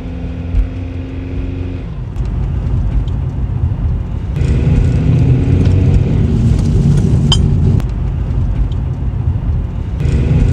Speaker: A final test drive for this Nissan after the 2 front wheel bearings. I'm doing about 20 right here, and there's a very big difference inside of here as far as the amount of noise.